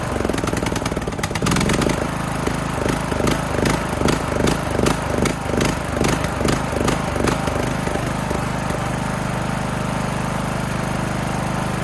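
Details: Craftsman LT2000 mower single-cylinder engine after new air filter, run directly off a battery: catches after a few cranks, settles into a steady, even run with no misses; sounds healthy.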